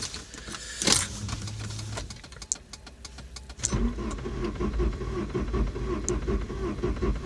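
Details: Volvo 940 Turbo that died on the road, cranked on a charged battery with a spark plug grounded for testing; starter turns steadily with sharp spark snaps but never catches; cranking no-start, spark present, owner suspects empty fuel since the gauge is broken.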